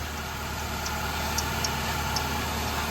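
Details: 2007 Nissan Altima 2.5L first start after oil cooler replacement and an oil change, checked for the previously heavy oil leak: a steady, even idle hum with no knocks, ticks or stumbles. It runs normally and no leak is seen.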